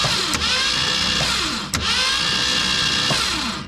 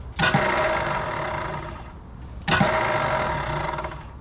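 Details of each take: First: 1966 Mustang off the road since at least 1987, cranked on the starter with the spark plugs removed: a fast, even whirring spin that never labours or catches. It turns freely with no compression, clearing the cylinders. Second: 1966 Mustang off the road since about 1987, after fitting a new solenoid: sharp click as the Bendix now kicks out, then a free whirring spin with no cranking; suspected starter not engaging the flywheel, unconfirmed.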